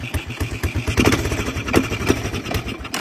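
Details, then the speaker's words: 1982 Honda 200cc three-wheeler with high/low range, sat outside about 10 years, running on a temporary Yamaha YZ fuel tank: uneven popping and sputtering for about three seconds, then it dies; engine stalls after starting, new plug fitted next. "Nope. That didn't last long."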